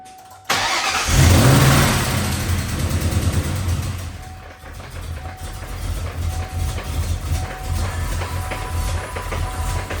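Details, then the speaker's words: 1997 Mustang Cobra 4-valve V8 with broken valve train: starts briefly, barely runs, stumbling at low uneven idle, ticking hard to hear at this rpm, then stalls; worsened while idling in a drive-thru; valve springs suspected. "it's actually hard to hear the ticking at this RPM and it just shut off"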